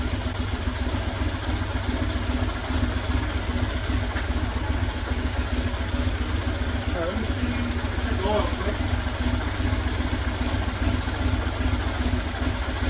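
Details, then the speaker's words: 2000 Buell Cyclone M2 V-twin, first start after new lifters and battery installed to cure lifter tap: steady loping idle with even beat, no top-end tapping, only breather noise; normal idle. "Sounds like a runner. Only noise I got is just from the breathers, which that's not unusual because this stuff is sealed off. But aside from that, it's running."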